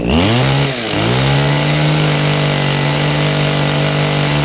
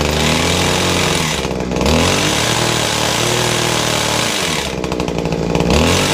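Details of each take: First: Kawasaki two-stroke hedge trimmer after repair work, started on choke; the carburettor has no adjustment: steady high-revving buzz at an even pitch after a brief dip, with no misfires or surging. Normal running. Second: Kawasaki two-stroke hedge trimmer, started after priming and choking. A loud, ragged buzz with dips that never picks up, a rattle from the gears underneath, and heavy smoke: gear rattle and poor running; a restricted muffler will be checked first.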